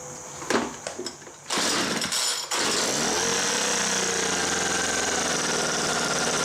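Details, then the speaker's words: Homelite MightyLite 26b leaf blower, before carburetor rebuild: fires after a few pulls and holds steady high buzz on full choke; on half choke revs high and shuts off, suspected carburetor fault beyond fuel line. "so I think there's something else going on other than that fuel line because what's been happening is it will start in full choke it'll run but the moment I try to run into half choke it revs real high and then shuts off"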